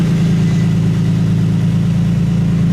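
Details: Infiniti G35 V6: smooth, steady idle with an even low beat and no stumble, miss or blow-by; all cylinders firing cleanly; healthy.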